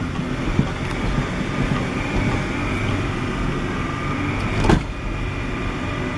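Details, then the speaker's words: 1998 Acura Integra 4-door, manual, axle already replaced, while driving. Steady low rumble, then a sharp heavy clunk as drive takes up on clutch release, with steering feeling erratic. Clutch or rack and pinion suspected, cause unconfirmed. "so when the clutch is let out it's brutal I mean so I don't know what's going on so when I'm releasing the clutch I feel like that's what I'm getting at the most"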